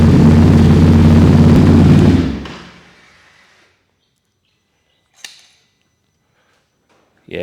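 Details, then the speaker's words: Ducati Desert X with SC Project decat and SC muffler, baffle out, recorded through a Rode Wireless Go that filters noise; loud deep even idle with hard exhaust bark, then clean shutoff, a little louder, healthy. "it's a little bit louder."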